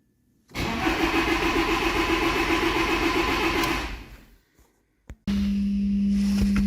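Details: Audi A4 B7, water-damaged, no ECU communication: even, regular starter churn about three seconds, then stops with no firing; cranks but does not start.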